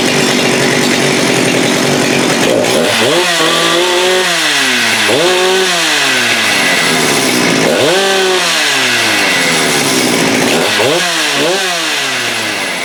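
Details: Husqvarna 394 chainsaw rebuilt as 395 project with HyWay Titanikel 58mm big bore pop-up cylinder, cold wet day; after swapping the OEM carb for an aftermarket carb, no-load revs snap up cleanly to about 12,100 rpm (was 10,500-10,900), repeated blips rising and falling evenly without bogging or stumble: normal.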